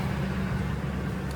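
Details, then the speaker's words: Ford F150 that had a crank-no-start, running after fuel pump replacement: short, steady low rumble with no stumble or tapping, engine running smoothly and evenly; fuel pump fixed it. "Well, there you go. Fuel pump took care of it."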